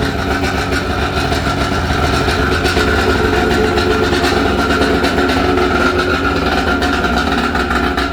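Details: Restored vintage Kawasaki 550SX: original reed motor with stage 2 port, Coffman half pipe, dual 38 Mikunis and VF3 reeds, running after the rebuild. A loud, even two-stroke buzz holds steady with no misses or rattles. Normal running.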